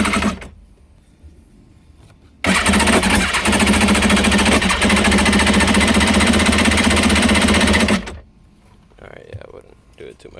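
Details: 2003 Kawasaki Ultra 150 jet ski cranks steadily and fast for about five seconds with even compression pulses but never fires; stator recently replaced with a used one from another ski after failing, previously ran strong. Cause suspected, not confirmed.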